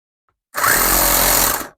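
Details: Coopers 8749 air compressor after strip-down and reassembly of its disconnected pump mechanism, bench-powered at 5.1 A maximum, not connected to a tire: short burst of steady, fast buzzing hum that starts cleanly and stops after about a second; pump runs normally.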